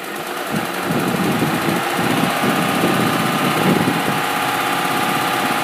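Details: 2005 Ford F150 SuperCrew 4x4 5.4 V8 at 126k miles, cams replaced at 88k, idling with busy light top-end ticking about three per second; burns a quart of oil every 4k, no power loss; owner suspects cam phasers.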